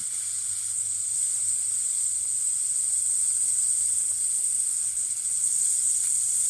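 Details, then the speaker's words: Baseboard heater radiator after a heating-system replacement, bled with a flathead screwdriver turned counterclockwise: a steady, high, sharp hiss as trapped air escapes the open bleeder, then water trickles out; air in the system. "I'm just gonna turn it counterclockwise slowly here's some air some somewhat somewhat trickles of waters coming out here"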